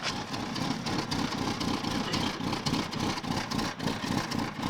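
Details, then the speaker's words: Volvo (V70/S70/S80 type) with failing electronic throttle module, heard at exhaust: rough, lumpy, wavering idle with misfiring; revs slow to drop after letting off the gas. "so idle's like [ __ ] but if I hit the gas look at that I let off the gas it takes forever to come back down"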